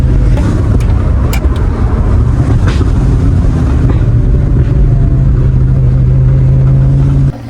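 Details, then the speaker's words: Manual Lamborghini Gallardo V10 at idle, misfire persisting after parts replacement: deep uneven idle with a stumble and sharp exhaust pops every few seconds; cause not yet found. "So, that was a bit of a waste of time. You can still hear it popping in the exhaust."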